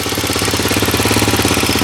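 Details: Roketa ATV idling with a quick, regular tapping of roughly ten per second that keeps pace with the motor; cause of the tap not identified.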